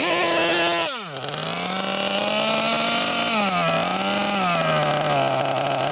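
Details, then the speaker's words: Losi LST XXL2 1/8 scale monster truck, .31 cubic inch gasoline engine, first run and tuning, high-speed needle barely out: high thin buzz sags sharply then wanders unevenly as if starving; running too lean. "okay so it was too lean obviously we could hear it was too lean it wasn't even a quarter turn"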